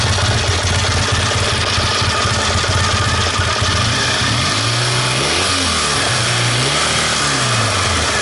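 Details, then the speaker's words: 1969 Triumph Daytona T100R 500 parallel twin, barely warm, on newly fitted Wassell (Vape) electronic ignition: even idle, then quick throttle blips rising and falling cleanly with no spitting or misfire; fitting judged a success. "so we could say it's a success"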